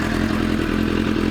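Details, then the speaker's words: Hot idling motorcycle. A constant metallic clatter rides over the beat. Owner suspects loose clutch plates; the exhaust was checked and is not loose. Cause unconfirmed. "It sounds like clutch plates being loose and they rattle. It's that, or it could be the exhaust being loose."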